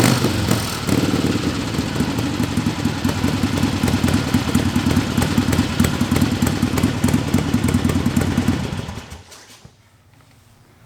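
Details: Barn-find 1961 Harley Sportster XLCH Ironhead with a knockoff S&S carb, fuelled by squirt bottle because of a rusty tank, shut off by grounding: loping uneven potato-beat idle firing cleanly before dying when switched off; normal idle.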